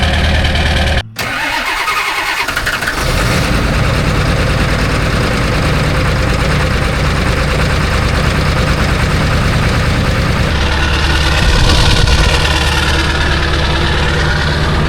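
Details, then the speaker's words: Ford 7.3 Powerstroke diesel cold start at 18°F, glow plugs never serviced: short crank, then catches into a rough, clattery cold idle that slowly settles; owner reckons about half the glow plugs work; hard cold start. "I'd say the old gal did pretty good. I'd say she still has half of her globe. plugs at least."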